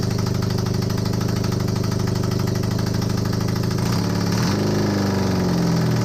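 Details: Honda CB250N Superdream twin project bike, first running, with new spark plugs, on partial choke. A rough but continuous putter settles, then the revs rise briefly; it is running on its own. Normal idle; large oil leak at the engine front.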